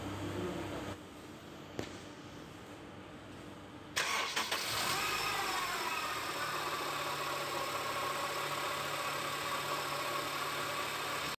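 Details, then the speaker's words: Starting the car with a faulty AC compressor bearing: after a quiet start the engine fires and a loud ringing whine rides over the idle, disturbing for driving. "Isu ikon nih, bearing kompresor bermasalah broku. Bila engine dihidupkan, bearing kompresor akan bunyi berdesing dan bunyi itu memang kuat"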